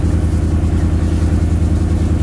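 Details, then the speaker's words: '38 Chevy during maintenance, running with oil pressure showing: low throbbing lumpy beat as a cylinder drops out intermittently; misfire, suspected fouled spark plug expected to clear. "Oil pressure there. Sounds like it's fouled up a plug, but that'll clear."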